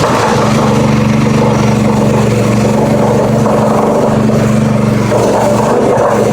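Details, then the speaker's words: Brand-new Predator 212cc 6.5hp four-stroke single-cylinder (Harbor Freight Honda clone), started on choke at half throttle with stabilized fuel. It catches quickly and settles into a steady, even run with a clean exhaust note; healthy. "Completely floored with how well it started."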